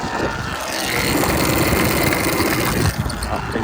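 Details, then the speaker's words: Sur Ron electric bike limping home about 10 miles under light throttle in mode one eco, doing about 3 mph with the speedo erratic, after cooling to about 185°: a rough, gritty whirring. The motor is suspected to be failing and is to be replaced. "that is absolutely toast. So, going to limp my way home and I guess stay tuned for the next video because we are going to be purchasing a new motor after all."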